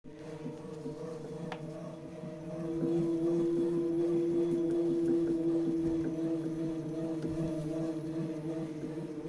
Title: Tacx Neo Bike thumping sound, out of the box, after second replacement...